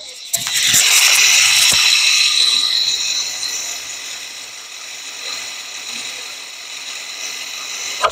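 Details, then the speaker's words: 2019–2023 Infiniti QX50 (J55), rear electric parking brake put in service mode with ignition on for rear pad and rotor replacement; steady high whirring motor about seven seconds, soft clunk stop: EPB piston retracting normally. "that's because of the piston this guy the mechanism right here the EPB is releasing the pressure"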